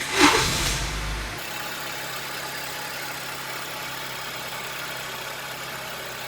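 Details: Honda New Civic after alternator belt tensioner replacement for belt noise from a loose tensioner: engine settles into a steady, quiet hum with no knocking or slapping from the belt side; problem solved, normal idle.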